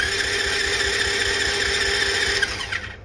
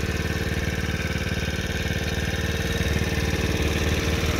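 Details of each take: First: $200 marketplace dirt bike/moped that has spark, fuel and compression: starter whirs steadily with a fast churn of about four beats a second but never fires; no start. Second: $200 marketplace small dirt bike/moped on its first test drive, which runs and drives well: steady, even idle with a smooth low putter, no missed beats or rattles; normal idle.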